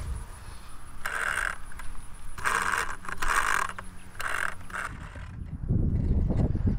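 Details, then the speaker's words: DJI Mini (Mavic Mini) drone after flying with heavier, wobbly 3D-printed 8-blade propeller adapters: short bursts of rough, gritty whirring as the motors spin up, a crunchy rasp instead of a clean whine; motor bearings worn or damaged. "probably destroyed most of the motors or something something is wrong here"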